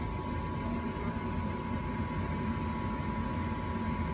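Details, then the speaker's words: Gas furnace fired by raising the thermostat from 68 several degrees; even, steady rushing roar with a faint hum and no popping or rumble, burner firing normally. "so it'll make the furnace turn on so I'm gonna go up about I don't know five degrees nine and you'll hear it fire up you can hear it running"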